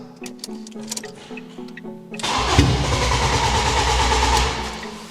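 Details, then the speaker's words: Ford Fusion (originally 79bhp) swapped with a 2.0L Fiesta ST engine, first start attempt: starter spins steadily at about three or four beats a second but it never catches; fuel tank found empty. "I think we just need some throttle. Interesting. How much fuel have you got? Oh! None. That makes sense."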